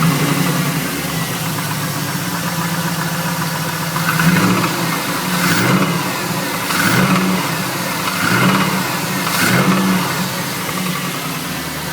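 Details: Chevrolet Camaro SS V8 before engine removal, spun No. 3 rod bearing: heavy, deep knock at idle growing louder with each throttle blip; rod knock.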